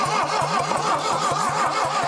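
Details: 1968 SAAB abandoned decades in Texas woods among trees; starter grinds over slowly and unevenly, about four compression pulses a second with long drags between; weak compression, no catch; slow cranking from low compression.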